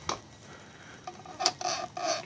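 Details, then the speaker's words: Mitsubishi DSM engine turned slowly by hand after a new harmonic balancer install: short dry high squeaks in separate bursts from the front of the engine, turning gets harder; owner wonders about something in the timing cover, not confirmed. "I don't know if you heard that but it's like a squeak noise then right there"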